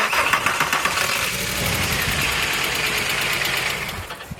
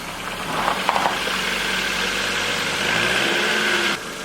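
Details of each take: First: Mk4 VW Golf engine after a rebuild, jump-started: the engine cranks and fires, cuts out briefly, then restarts and settles into a steady, even idle with no knocks or misses. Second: VW Golf Mk4 with a rebuilt engine: the starter cranks at an even beat for about four seconds but the engine never catches, because the ignition had not been plugged back in after the rebuild.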